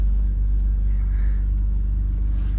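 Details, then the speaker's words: Long-abandoned 2004 BMW E46 325i Touring, jump-started on low petrol: steady, even low idle hum with no knocks, ticks or stumbles; engine sounds healthy. "It sounds so good. I think it's worth saving."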